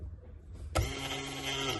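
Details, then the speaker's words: Fiat Coupe 20v Turbo that broke down from a failed fuel pump relay, now fitted with a new 30 A relay. With ignition on, a steady electric hum and whine starts and holds even; the fuel pump primes normally. "It now powers up, which I'm going to show you now. So my glamorous assistant is ready to turn the ignition on. You can hear the pump go, 3, 2, 1."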